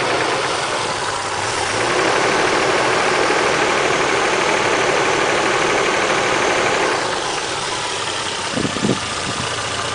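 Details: Supra with a 1JZ-GTE swapped in about a week before, engine miles unknown, original oil pump reused, cold start: a regular knock about four per second at idle. Owner suspects rod knock from a weak oil pump causing low startup oil pressure.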